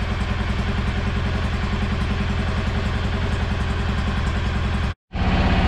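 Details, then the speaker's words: 2016 Kawasaki Mule 610 after valve adjustment, warming up in neutral: steady even low thump, quick regular beat, no ticking or clatter; runs much better than before but idles slightly high, idle to be turned down. "well it sounds and runs good i'm going to have to shut the idle down a little bit uh yeah it runs good and i'm driving it but it's idling a little high"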